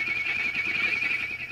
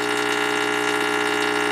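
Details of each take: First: Previously owner-restored tube radio receiver at full line voltage, warmed up, recapped with no hum: loud wavering high-pitched howl over faint hum from an oscillation, later traced to IF section. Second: Tube radio receiver that stopped working after a failed restoration: a steady, even mains hum with a buzzy edge. This is the normal sound of the rectifier tube converting AC to DC.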